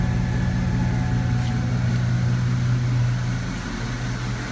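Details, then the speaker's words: Truck after replacing a squeaking alternator belt with a thicker heavy-duty belt, charging at 14.8 V: steady low engine hum at an even idle, no belt squeal or chirp; running smooth. "I gotta say this is running so smooth"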